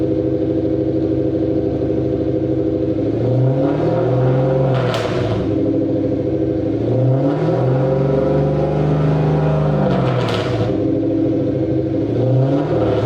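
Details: Mercedes W203 C230 Kompressor sport coupe with swapped Lexus 3UZ-FE V8, old exhaust before new installation: several blips, pitch rising and falling, deep boomy rumble hanging underneath. Exhaust drone.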